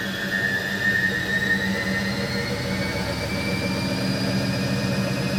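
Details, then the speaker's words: Bendix compact 7159 washing machine on spin-only program: smooth whir climbing slowly in pitch as the drum winds up, with faint hum from the drain pump that stays permanently on; spin works normally. "there you go works in that sense"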